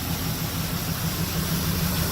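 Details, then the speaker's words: 1981 GMC C3500 dump truck, small-block Chevy 350 V8 with stock manifolds, after tune-up (plugs, wires, cap, rotor): steady even idle, consistent low thrum, no misfire or ticking; valve cover gasket oil leak still to fix. "Alright YouTube, so there it is, she's running."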